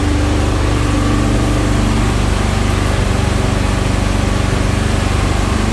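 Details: 1971 Alfa Romeo 1750 GTV with manual transmission, just started cold: a fast, even idle runs smoothly but noticeably above normal speed; it dropped later and may need adjusting.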